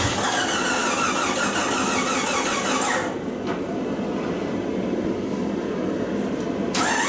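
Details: 1999 Jeep Cherokee after engine swap, first start attempt with fuel relay and coil plugged back in: starter churns in a steady rapid rhythm for about three seconds without catching, then drops off; cranks but will not fire.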